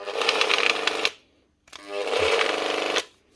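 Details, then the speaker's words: Bosch GWS 9-115S 115mm grinder with a burnt-out armature, switched on: short, harsh electrical buzzing bursts with no spin-up as the armature rocks back and forth instead of rotating; a shorted armature energizing the wrong segment. "You can hear it shorted out on side, and the armature is just going back and forth. It's not actually rotating."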